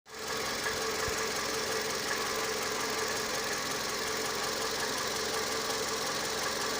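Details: Toyota 2AZ-FE engine at idle: a light metallic tapping rides steadily over a smooth idle; metallic knock, cause unknown.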